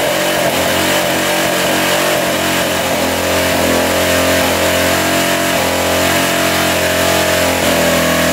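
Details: 1985 Honda XL600R single, sat a couple years, oil put down the cylinder, started on choke: revs up and holds a rough, busy running note without knocks, smoking as oil burns off; suspected tired, low-compression engine, rings hoped to free up.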